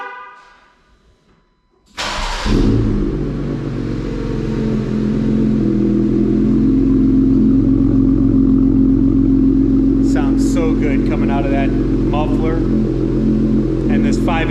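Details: Jeep Gladiator JT 3.6L V6 with newly installed AWE Trail Edition exhaust, start: brief crank, then catches and settles to a deep even idle with steady exhaust drone, no knocks or misfires.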